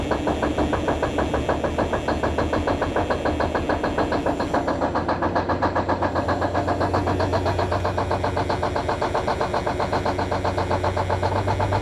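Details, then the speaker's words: Peterbilt 352 cabover wrecker diesel started on a very cold morning after battery trouble. A lumpy, uneven firing that struggles to bring in all cylinders, then smooths out; about 60 psi oil pressure, charging about 10 A, no air pressure yet. "man it's having a hard time getting all the cylinders going but it is coming up can you hear it smoothing out"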